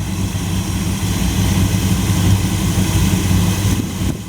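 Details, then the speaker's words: 1929 Chrysler engine idling after tweaks, before first long test drive; owner says it seemed fine and the motor sounds really good now. Steady, even low thrum at slow idle with no knocks or misses; normal idle. "Seemed to be fine. I didn't really play with the brakes much. It's all pretty good. Motor sounds really good now."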